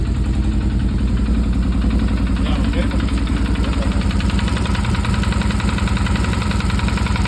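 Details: Stels Guepard 650G engine at idle: rapid, fairly regular knocking at about three to four per second rides over the idle. It is a mechanical engine knock, source undetermined.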